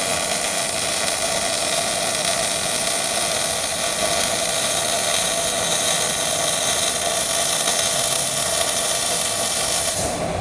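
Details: Old Miller-Matic 251 MIG welder at 21 volts and 366, welding pipe fittings: a steady, even crackling hiss held about ten seconds without pops or breaks, a smooth arc suited to the settings; normal MIG welding arc.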